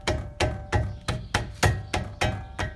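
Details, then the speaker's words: 2011 Infiniti G37x AWD front brake caliper, before new pads, hardware and pin kit: rocked by hand, it gives sharp uneven metallic clunks about three a second; it rattles over bumps and is audible in the cabin. Loose caliper, hardware or slide pins likely worn. "so what I found is the caliper rattles but it's loose my goal today is to rebuild the caliper in terms of new brake pads new hardware and the new all the rubber bushings in it so you can see it's loose so that's kind of sound that I get when I'm down the road you hit bumps"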